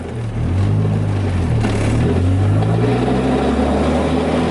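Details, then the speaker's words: Sedan driving, no power steering, no brakes: engine pulls with steady low drone and faint wavering hum, scraping noted; transmission suspected bad, not confirmed. "Holy crap, you hear that, guys? I don't know if this sounds like the transmission's bad or..."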